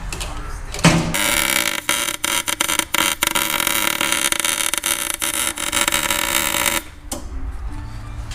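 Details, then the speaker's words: Miller MIG welder welding up a Nissan 350Z VLSD differential for full lock: loud sputtering crackle with sharp pops and dropouts, from the wire sticking too far out from the gun; popping means it is not welding correctly. "You might hear it down cracking, inside. cracking and popping."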